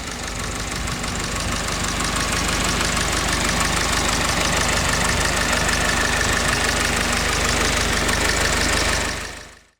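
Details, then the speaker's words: Original 1945 Ford GPW Jeep four-cylinder: an even, steady tick-over with a quick regular beat and no knocks or misses; idling smoothly despite a hole in the top of the carb bowl. "But geez, what a beauty. Very nice tick over."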